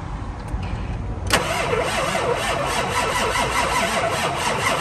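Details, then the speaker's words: Ford F550 with 7.3L Powerstroke diesel, parked for years after running rough, cold, new batteries but corroded cables: uneven, lumpy cranking with weaker compression strokes, never catching. Low compression, IDM, HPOP or glow plugs are suspected. "so guys hopefully you can hear that definitely not the Cadence that this engine should have when it's turning over"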